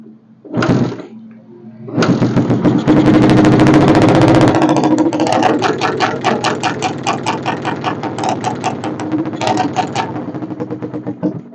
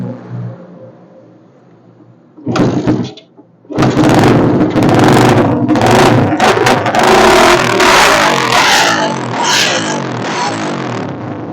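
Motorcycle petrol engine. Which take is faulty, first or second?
first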